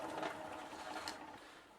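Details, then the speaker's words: Cheap bicycle after bottom bracket replacement, chain guard bracket bent outward: dry steady scraping rustle while pedalling, fading toward the end; chain still rubbing the chain guard. "and as you can hear bending the underside of the bracket didn't make a huge difference"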